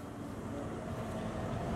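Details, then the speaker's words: 1996 Ford F-150 4x4, 76,000 miles, warmed up with all lights and four-way flashers on; steady even low rumble, no misses, knocks or surging, no rough idle; normal idle. "just running nice and smooth shaky exhaust or uh rough the rough idling"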